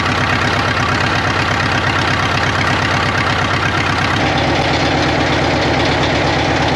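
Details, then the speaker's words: 1939 Caterpillar D4 (RD4) D4400 diesel on its first start after final assembly, turned over by the pony motor, nearly a mile high. Loud, loping idle with an uneven, skipping beat: an engine misfire, with fuel leaks also present. "it moved it runs it moves it's got a Miss in the engine I I know we got some work to do"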